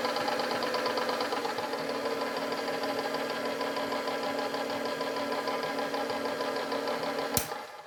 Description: I'm not sure if this clicking noise is normal.